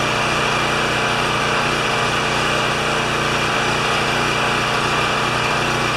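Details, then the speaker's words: Champion 3000 W generator, brought in as a non-starter, running after service; tested good days earlier, likely low hours since last tune-up. Steady, even drone with a constant low hum, no misses, knocks or surging; normal running. "it's running don't like the choker adapter but hey it's late okay this generator tested good the other day"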